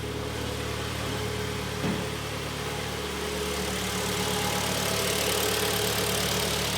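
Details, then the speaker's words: 2012 Kia Sportage G4KD 2.0 at 95,000 km after a rebuild for severe piston knock (block bored): warmed-up idle heard from outside is smooth, quiet and even with a steady hum and no knocking or tapping. "работает ровно работает тихо это самое главное"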